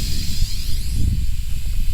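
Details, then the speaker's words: Maple sap vacuum pump and tubing line, first run of the season; continuous airy hiss with a low rumble underneath as air is sucked in at three open, unplugged tap holes; vacuum leak. "one of these is a big leak but three of them this will jump it way up so I'll fix those quick"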